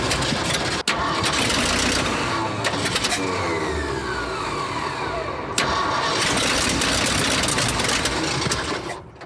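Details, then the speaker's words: Abandoned 1979 Ford F-350 dually, long unused, with suspected fuel-feed and ignition problems: engine roars steadily only while the key is held in start, then fades out when released; stalls off the starter, cause suspected, not confirmed. "Well, here's what I notice is when this thing is firing, if I take the ignition and I hold it in the start position, Yeah. It seems to keep going."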